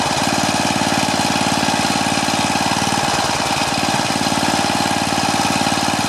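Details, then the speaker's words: Craftsman four-stroke edger, Tecumseh engine, throttle about halfway: steady slow chugging about 220 beats a minute, never picks up despite throttle; governor linkage hooked in wrong throttle hole. "yeah i see what he says you saw when i was trying to adjust the throttle it's not making any difference at all so my guess is it's probably uh i'm going to take a look at the governor linkage and make sure it's hooked up correctly"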